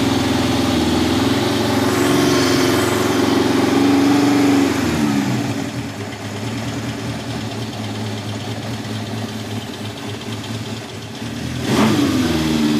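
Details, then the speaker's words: 1971 Honda CB750 K1 (build date 7/70), original survivor bike, about 18,000 miles, hard starting and needing carb work: cold, not yet warmed up, choke off, it idles roughly, revs sag and nearly die and recover as the idle is raised; it won't hold a steady idle. "choke is off by the way yeah it just does not want to idle"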